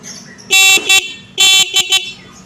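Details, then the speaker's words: Carbureted Honda Beat scooter after repairing battery wiring socket connection: two clear double-pulse horn blasts at full strength and steady pitch; horn working. "Kalau klakson bunyi berarti sudah nyambung. Oke, klaksonnya bunyi berarti sudah."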